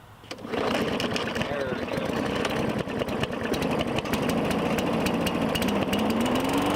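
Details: 2017 Murray 21" mower, Briggs & Stratton 450E, after cleaning the clogged carburetor's bowl inlet, just washed and sat a day: catches within half a second into a steady even beat with slight speed drift; blade brake stops it quickly, no smoke, running normally.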